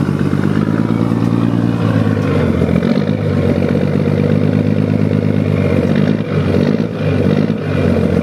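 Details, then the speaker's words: 1975 Scania truck diesel, engine just rebuilt: deep, steady rumble with an even beat swelling gently with light revs to around 1500 rpm, no knocks or rattles, and oil pressure holding up; normal running. "galera ouviram aí o ronco ó sem judiar galera só o motor acabou de fechar né"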